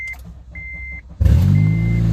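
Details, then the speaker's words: Honda Element with a stolen catalytic converter, before the new converter is fitted: a couple of chimes, then the engine fires into a loud, deep, raw buzzing exhaust roar; loud exhaust from the missing catalytic converter. "Ah, that's always a good sound. That just sounds awful. Sounds like a buzzing bumblebee hive of tractors."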